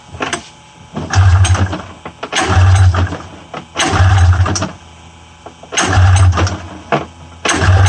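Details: 1994 Polaris Indy 500 EFI snowmobile with fuel pump hot-wired, being pull-started: repeated short chugging cranks about every 1.5 s that never catch; cause suspected, not confirmed.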